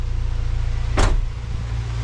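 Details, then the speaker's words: Acura Integra GS-R B18C1 after engine rebuild, at operating temperature below 1000 rpm during coolant bleeding: low even idle rumble with steady beat and one brief clunk; normal warm idle. "We are still sounding and looking good here."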